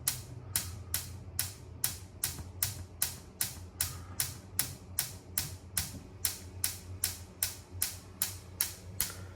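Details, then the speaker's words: Ultraline gas range top burner: steady sharp igniter ticking, about 2.5 a second, with no flame. The burner doesn't light because the burner cap nipple is not aligned with the igniter; realigning the cap fixes it. "why it's not working because the nipple is not a straight aligned to the igniter"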